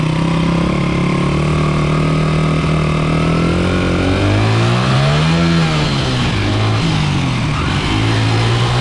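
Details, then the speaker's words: 1995 Honda XR80R 80cc single-cylinder kids dirt bike after replacing an undersized main jet with the correct Honda jet: full throttle in first gear over 100 yards, revs climb cleanly and pull hard with no stumble; fixed. "That's a night and day difference. That's running just the way it's supposed to. Running exactly like the other bike. Lots of power, gets the throttle going, you know, right from beginning to end. No hesitation."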